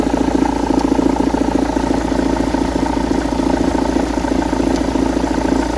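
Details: Engine idling after flywheel replacement. An even idle with a clear, regular clatter of about three and a half beats a second, a knock tied to engine rotation.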